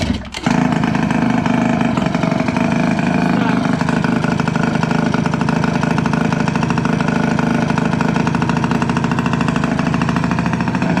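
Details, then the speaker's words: Piaggio Liberty 50 two-stroke air-cooled scooter, sat two years not starting, now running after cleaned plug and fuel primed, exhaust off: fast, even two-stroke crackle, no misses or surging; loud only because no silencer fitted. "завівся скутер працює тільки гримить бо немає вихлопної но все працює чудово і заводиться"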